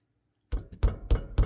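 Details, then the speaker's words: Ford Freestar front wheel rocked by hand: four heavy low clunks, each with a slight rattle, unlike the rear's thud; looseness from a worn, loose tie rod end. "So, hear the looseness, kind of the rattle. Compare that to the rear thud."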